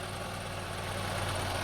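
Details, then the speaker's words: 2002 Honda CR-V 2.4L idling smooth and even with a low hum, no stumble or misfire, after rough idle was fixed by addressing the upstream air-fuel oxygen sensor; idle air control valve not replaced, running perfectly. "but the engine is running perfect I don't have to replace the over there the idland air control sensor uh everything is running perfect no more"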